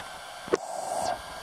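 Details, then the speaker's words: HTRC smart battery charger on LiFePO4 setting, 20 A at 12 V, current rising toward about 14.5–16 A while charging: charger fan ramps up to a steady airy whoosh, smooth and even with no rattle; normal cooling fan at high speed. "you're going to hear the fan ramp up pretty soon it's putting in there's the amps going up and the charging hear the fan getting louder as the amps are going"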